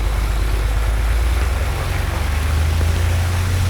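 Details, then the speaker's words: Aircraft engine during dynamic propeller balancing after a new spinner was installed, run up to about 2,200 rpm: a deep, steady drone with an even beat and no shake or roughness, noted as sounding much better. Smooth engine run-up. "oh that sounds much better yeah it [Music] does"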